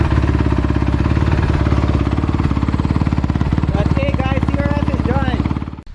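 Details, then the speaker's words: 2016 Honda CRF250R first start after full top-end rebuild (piston, valve guides, timing chain) for oil burning and top-end ticking from stretched cam chain; steady even thump about 3.5 beats per second, no ticking, no smoke, until shutoff: normal idle. "okay so you guys just saw me start up my crf it started up really nice and it is not burning any smoke anymore which is a really good thing the bike sounds amazing compared to how it sounded before"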